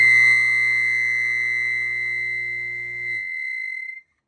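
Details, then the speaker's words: Harbor Freight 1 HP water pump from off-grid cabin, drawing over 5000 W to start, partly disassembled: loud steady high-pitched squeal about four seconds dying as motor stops. "Well, I, uh, decided just to turn it on here for a second, and I think we know where the nasty noise is coming from."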